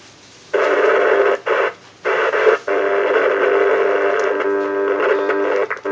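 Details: VHF radio receiver producing harsh hissing static bursts over a steady mid tone, cutting out briefly then returning; strange unexplained interference noise.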